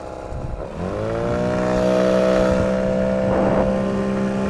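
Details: 9.8 motor with a 'brake-like' whistle whose cause the owner is asking about. The motor picks up and a clear, steady squeal rides over it, holding pitch: squeal under load, source unclear.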